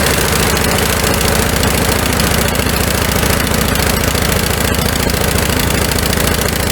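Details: Snow blower small single-cylinder engine in the carburetor-jet no-start fix after summer storage: steady fast putter with even firing, no misses or surging; running normally.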